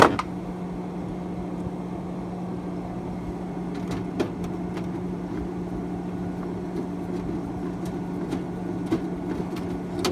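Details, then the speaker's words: Hotpoint/GE refrigerator whose freezer evaporator fan had stopped spinning (not cooling): the newly fitted fan gives an even low hum with a few light clicks, spinning smoothly and moving air. Afterward the fan looked off-centre, possibly near the metal. "Oh yeah, that is moving some air, buddy."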